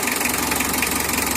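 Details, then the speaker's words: Mitsubishi L300 diesel with factory settings, never adjusted: even, steady idle with a light regular clatter on top, the characteristic diesel rattle; normal idle. "nyala mesinnya guys nih ini aja nggak pernah Setel ya bawaan pabrik ada kok suara kerak boleh dihilangkan itu ciri khas diesel cuma renyah rasanya ya"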